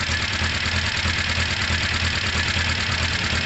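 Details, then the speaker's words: Motorcycle running through fuel at idle; even steady beat about three a second, no misses, knocks or hunting: running right. "in fact yeah sounds very good all right um i'm going to idle that for a few minutes let it run through that fuel basically"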